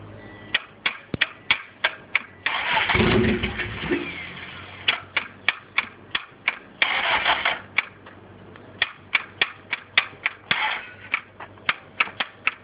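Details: Fully built LS in an EG hatch, bad starter: rapid single clicks about three a second, broken by short bursts of cranking that never catch; the starter fails to turn the engine properly.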